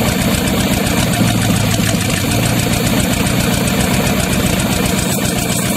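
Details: Used Chevy 350 small-block V8 on an engine stand, after carb cleaning, sounding better but rough loping idle with a cylinder dropping out; thermostat had stuck and overheated; seemed to be missing, so number three plug wire pulled to check.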